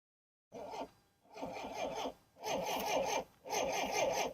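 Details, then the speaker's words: 1960s Homelite 55HP Stingray outboard: repeated harsh horn blasts in neutral while the starter refuses to crank; it only cranks in gear, owner suspects the neutral/gear switch is out of alignment. "so it seems like it only wants to start if it's in gear if you put it into neutral where it horns it uh it won't crank at all it like cuts the the cranking"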